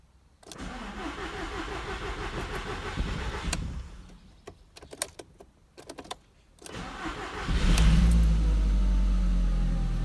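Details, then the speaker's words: 1.8T Audi TT started after replacing a dead ignition coil: cranks briefly, catches cleanly, steady even idle with no hesitation or misfire. "Okay, straight away there's no hesitation whatsoever. Yeah, I think we've solved the problem."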